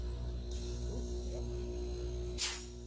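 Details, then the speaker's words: DIY vacuum pump converted from an old roadside A/C compressor, about 10 years old, running well: low steady hum with a faint constant tone, no knocking or rattling, quiet and smooth. "This is the vacuum side. This is the output. You can tell it's doing pretty good there. Pretty quiet too."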